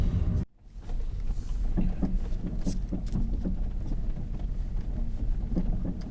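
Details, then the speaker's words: Lada Vesta at 45,000 km driving over rough road: dull, irregular knocks from the front right under steady road rumble, diagnosed by dealer as worn front stabilizer link, covered under warranty. "теперь по поводу стуков стук с правой стороны то стойка стабилизатора цена ремонта 8 замена стоимость запчасти 800 рублей"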